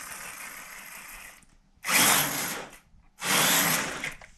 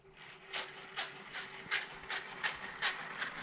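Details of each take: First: Axial Gen1 6x6 RC truck after drivetrain repairs and a spur gear fix: short bursts of clean, even electric whine on throttle blips with no grinding or clicking, running smooth, normal drivetrain operation. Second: Gen1 Axial 6x6 RC truck on the floor: light ticking rub about 2.5 times a second over faint motor whine as the spur gear catches the driveshaft; fine when held in the air, truck wobbles; driveshaft to be replaced.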